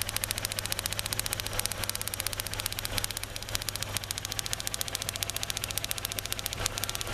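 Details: 2003 Kia Rio after crank-no-start, started by prolonged cranking, runs rough: rapid sharp snapping ticks over uneven idle, coil pack arcing between cylinder 2 and 3 towers and ground, lessening as engine warms; ignition coil arcing misfire.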